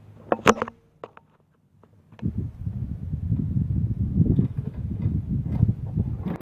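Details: Toro Recycler mower that had been stalling after about 15 minutes, test run after reassembly and carb work with fresh gas, air filter off: a few clicks and a pause, then catches and settles into a steady, healthy putter.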